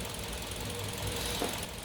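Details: Kia New Carens with a 2.0 LPI (LPG) engine, after the spark plugs were replaced. Quiet, even idle with no stumbles or thumps breaking the rhythm, and burn times on cylinders 1 and 2 now nearly equal. Normal running with the misfire gone; the cause was the spark plugs.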